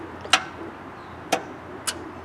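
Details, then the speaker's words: Craftsman lawn tractor on key turn: three single sharp clicks with no cranking; a failed starter solenoid, though the owner also wondered whether the starter was locked up. "But it's not starting. No, it's not."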